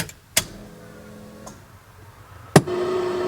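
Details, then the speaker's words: Shop truck after rear gas tank sending unit work, switched to rear tank: a relay click and a steady low electric hum, then another click and a louder whine as two fuel pumps prime normally. "sound like there's two different gas pumps but Cascade is moving slowly yeah I can definitely hear two fuel pumps"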